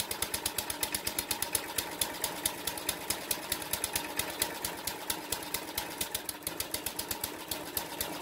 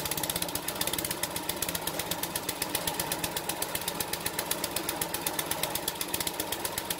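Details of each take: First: Briggs & Stratton 2 hp horizontal-shaft edger engine, first test run with choke on after carb clean: uneven hunting pops around two per second, never settling; rough running, owner suspects an adjustment issue, not confirmed. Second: King O Lawn edger, 2hp horizontal-shaft engine, after carb clean and jetting, drill-started on choke for a test run: quick, steady popping beat of about four firings a second, even rhythm; running properly.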